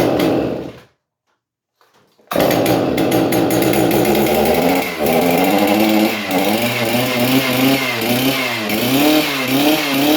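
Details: Stihl MS311 chainsaw after coil replacement, run with bar and chain removed: a brief quiet, then it fires and catches, buzzing steadily and blipping up and down cleanly, so the new ignition coil sparks fine.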